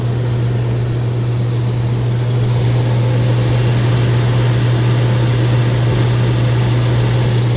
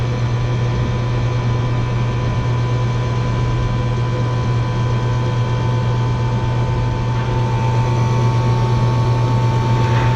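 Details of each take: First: Rooftop HVAC unit with no AC, a tripped breaker, burnt main disconnect contacts and low control voltage (20 VAC, 170 VAC to the transformer): a heavy, steady low hum as the compressor runs, the motor on. Loud compressor hum, cause unclear. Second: Three-phase compressor on an RTU with burnt disconnect contacts and low voltage: one compressor on, drawing about 22 amps, with only one contactor pulled; a deep steady hum with no rattles, clicks or surging; the compressor is running normally.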